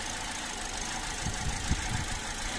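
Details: 2017 Toyota Vios automatic, with customer complaint of sudden shaking and stalling and two P-codes stored: uneven idle with irregular low thumps and shaking, engine stumbling. Injectors, cams, ignition coils, MAP sensor and throttle body checked okay; rough idle, cause not yet found.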